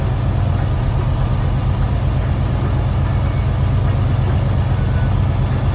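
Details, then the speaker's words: Freightliner Cascadia DD15 diesel with injector fault code SPN 3660 FMI 14, after injector replacement, valve cover off, raised RPM during cylinder cut-out test: restored to normal, deep even rumble with all cylinders firing evenly; balanced running. "I'm going to put it back to normal, and it should balance out."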